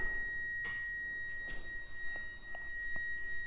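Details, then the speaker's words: NB2 Mazda Miata with newly installed GTR2 LED headlight bulb with active cooling: faint steady high whine as the lights switch on, with a few light clicks; normal LED headlight cooling fan whine. "I can hear the fan immediately."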